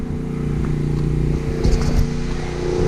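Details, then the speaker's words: Generator powering a house after a hurricane: steady low drone with a faint uneven rhythm and slight sag, labouring under load. Owner suspects the hot water heater is drawing the load. Cause not confirmed. "something's putting a load on it it's got to be the hot water heater and i can go test that real quick"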